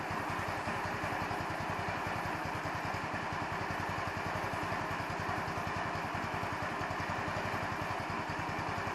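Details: 150cc Chinese scooter, idle screw adjusted many times, mixture screw covered by welch plug; single-cylinder idle with loose, slightly irregular beats and clattery top; unsteady idle, owner suspects idle mixture, not confirmed.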